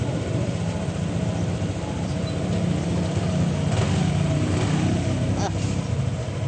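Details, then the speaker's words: Scooter being revved after its CVT parts were cleaned, reassembled and tightened. The engine revs smoothly with an even drone and no belt slap, rattle or grinding. The noise is gone and it sounds normal now. "Okay na, ano yung sabay mo pagilid ba? Wala nang ingay."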